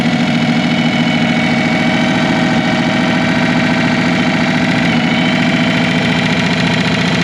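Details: Revived Chevy inline six (230 or 250, uncertain) with formerly stuck valves, strapped down and revved hard: loud, ragged, uneven running at high revs with no steady beat as the engine floats its valves.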